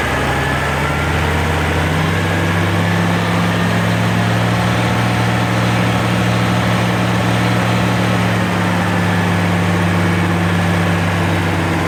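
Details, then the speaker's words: Oliver 1550 diesel tractor after replacing the sticky number 6 injector nozzle, which had been wet stacking: steady, even low idle with no knocks or misses. "okay oh that sounded much better"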